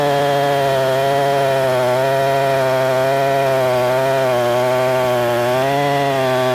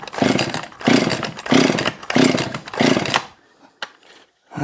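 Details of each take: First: Husqvarna 262XP chainsaw, tuned up, cutting wood: strong, even two-stroke buzz holding steady in the cut, then clean rise and fall in pitch when freed; healthy saw pulling well under load. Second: Husqvarna 262XP chainsaw, freshly cleaned and pressure washed: five hard cord pulls, rasping spin with no catch; compression felt, spark seen, fuel squirted in, spark may be too weak or cylinder flooded: cranking no start.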